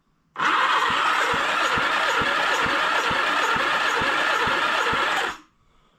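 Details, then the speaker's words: 1976 Honda GL1000 LTD Goldwing flat-four being restored, oil added and cylinders fogged, cranked on the starter for a compression test of cylinder 1: steady, slightly uneven cranking, and the gauge reads only 70 psi, low; oil pumps confirmed working. "one is low. I've only got 70 psi."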